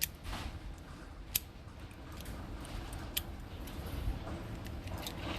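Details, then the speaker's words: Rolls-Royce glove box lock opened with a newly cut 62 HE master key, not yet lubricated: sharp clean single snaps a couple of seconds apart, no grinding or dragging; latch releases smoothly. Normal. "You can close it back down, works perfect. Now, as smooth as that, you can hear that. Look how nice. You can hear that snap coming out of that Rolls-Royce, just like that, okay?"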